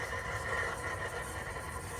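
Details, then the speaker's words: 2020+ Ford F-350 Powerstroke diesel dually after installing the SPE Motorsports fuel filter kit: steady electric hum and faint buzz on the fourth prime, with a lot of fuel still moving. Owner suspects the new filters are still filling. Fuel pump priming noise. "all right so this is my fourth time Prime minute it's still making noise so still a lot of fuel moving just hoping I don't get like another leak out of nowhere I mean sounds like the filters are filling up"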